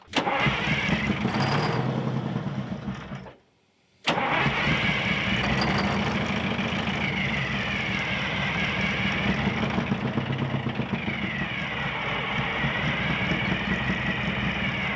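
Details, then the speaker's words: 1979 GMC Astro cabover with 8V92 two-stroke Detroit diesel, sat 7 years: brisk even cranking, about four pulses a second, never catches even with ether; fuel lines dry though filter full, suspected bad tank pickup, fuel starvation. "i think i think it'll run it sounds healthy enough when we're cranking it over all these lines are dry but the fuel filter is full"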